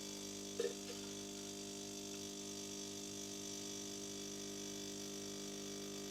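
Quiet, steady pump hum with an even tone and no rattles or straining; the machine brews normally.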